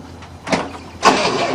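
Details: 1967 Cadillac, sitting 30 years, first try with a new starter motor: a click, then the starter turns the engine over without a single firing; cranks but no start.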